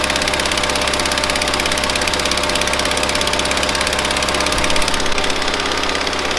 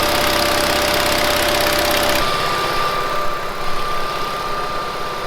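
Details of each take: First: 1970s Bolens QT16 garden tractor, long unused with old gas and gravity-fed fuel to the carburetor: uneven, stumbling idle with wandering pitch, hunting instead of settling; rough running from a dirty carburetor that needs cleaning out. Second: 1970s Bolens QT16 tractor, long-sitting, started with gravity-fed fuel to carburetor: single-cylinder engine runs steadily at a fast even beat with a bit of roughness in the middle; keeps running on its own.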